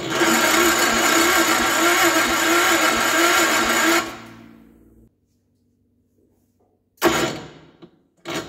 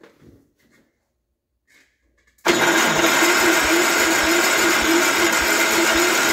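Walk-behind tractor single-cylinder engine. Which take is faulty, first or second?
first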